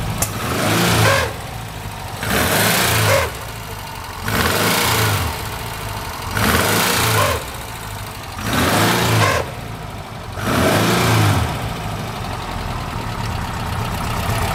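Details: Porsche 356 idling with a rough rushing noise surging in about every two seconds. An abnormal clutch noise; the release bearing is suspected, not confirmed.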